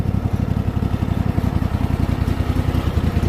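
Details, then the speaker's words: Craftsman T8000 riding mower driven around the yard at really low idle with the deck raised: an even low chug, smooth, with no whine from the transmission. "nice and smooth no winding from the transmission no whining from the transmission that sounds great it's on really low idle"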